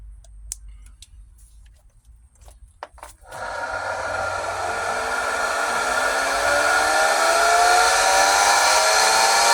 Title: Pool pump loud noise screeching Pentair SuperFlo VS 1.5 HP